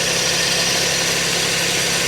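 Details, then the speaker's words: Auction car at idle with non-working AC: steady idle with harsh, hissy metal-on-metal scraping from the belt-driven accessories, first blamed on a pulley and then traced to the AC compressor rubbing. "That sounds like metal on metal. That's a pulley."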